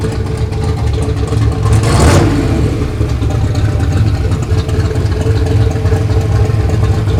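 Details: Ford Fox Body Mustang with newly finished turbo kit install, idling after alternator refit; no belt whine. Steady, even low rumble with a settled idle, no knocks or ticks: normal healthy idle.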